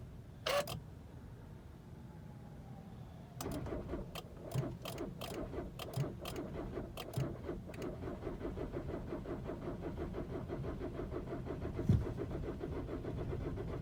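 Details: 2013 VW Jetta 2.0 TDI under warranty: starter turns the diesel slowly and unevenly in a long crank with occasional clunks, never catching. Owner suspects hydrolock, must drain the intercooler each time, and reports low power and poor mileage; VW says no codes are stored.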